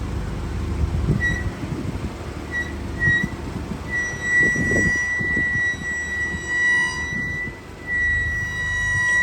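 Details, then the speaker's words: Car squealing 3–4 months after all discs and brake pads were replaced: a high, thin squeal near two kilohertz comes and goes as it rolls slowly, from the front wheels; brake squeal of unknown cause. "it's been 4 month now and then my car is still making this noise"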